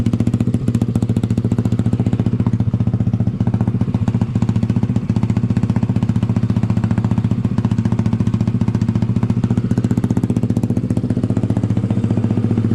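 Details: Honda ATC70 with a Piranha 140cc single, warming up after first start: a fast, even putter with a deep, not-too-loud exhaust note and no misses or rattles; a healthy idle, though the owner thinks it may run a little lean.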